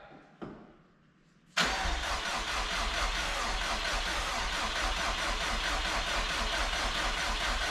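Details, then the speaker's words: Subaru, crankshaft sensor unplugged: a click, pause, then steady even starter cranking with no odd noises and no firing; cranking sounds healthy. "Is there a weird sound? No. I'll try again. Okay, sounds good so far."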